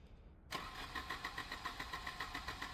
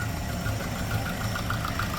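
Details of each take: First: 1988 Volvo 240 at about 15°C, fifth injector removed in case it over-fuels: starter cranks steadily at about 3.5 beats per second but the engine never fires. It had started and revved briefly before cutting out. Crank, no start; cause unconfirmed. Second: 1988 Volvo 240 after rebuild, warming up to temperature: steady even idle around 700–800 RPM with no misses; smooth healthy idle, though owner notes bad piston slap remains.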